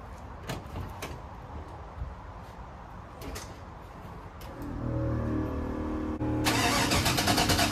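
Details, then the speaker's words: 1966 Chevrolet C10 with LS swap, test fire after swapping a used mystery cam (which previously wouldn't stay running) back in place of the stock cam, not yet tuned: after brief cranking it settles into a steady, lopey idle with no knocks or misses; sounds better than stock cam. "this is actually a huge diff from that stock cam it sounds way better it seems to be even running better"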